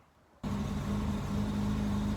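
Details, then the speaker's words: Mk1 Ford Escort, still cold, after swapping the competition World Cup crossmember for standard with engine mounts refitted: quiet start, steady even low idle with faint hum, no rattle or body resonance that previously shook the whole car at idle. "Well, that is so much better. It was resonating through the full body whenever it was idling."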